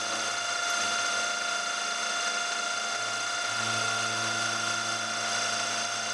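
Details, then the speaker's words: 6mm carbide end mill cutting steel, climb milling: high ringing squeal over spindle hum under load; milling chatter, suspected because workpiece sits too far out of the vice, finish still good. "that's a really good finish i think the vibration is because i have it too far out of the vice"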